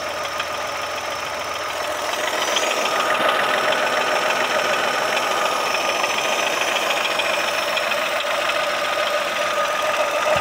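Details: New (0 km) Chevrolet Onix Plus three-cylinder at idle: fast, fairly even light chatter with a thin steady whir. Worn alternator belt tensioner; the dealer's earlier solenoid valve replacement did not cure the noise.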